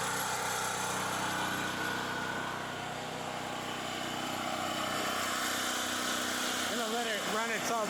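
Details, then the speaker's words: Champion generator after cleaning and refilling with fresh premium gasoline, run until out of fuel before storage: steady, even drone at constant speed with no surging, hunting or knocking. Normal running. "that sounds like a big ass plane though"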